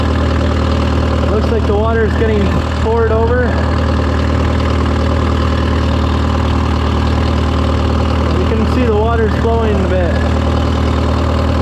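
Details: Case VAC tractor diesel at steady, even idle with a firm low rumble, no knocks, stumbles or squeals, after installing an aftermarket water pump because it stopped cooling following a coolant change; coolant flowing, temperature gauge still low, around 20.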